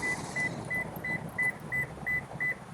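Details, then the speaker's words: Lexus TX in park, driver exiting with the engine running: sharp high beeps about three a second over a faint idle, the smart-access warning; the car must be locked manually with the mechanical key. "so now we're not going to lock with the smart access system it really doesn't like that we need to manually override and lock with the mechanical key"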